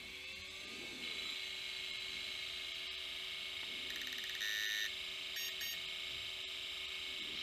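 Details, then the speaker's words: Failed vintage hard drive, opened on the bench, powering up: motor whine climbs then holds a steady high hum with no seek clicks; platters spin up but the white plastic head arm never moves. "aha as I suspected these uh white plastic arm hasn't moved but let me try and move that way hopefully that will signal something that the platter has spun up"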